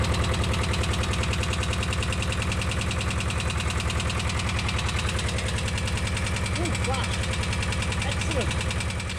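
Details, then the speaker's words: VW T3/T25 engine idling during a minor service, not taken on a long run for a while: steady quick light ticking about three per second over an even idle; owner calls it tappity, tappet noise suspected, not confirmed. "don't know if you can hear me because it's quite tappity because I haven't taken it on a long run for a while"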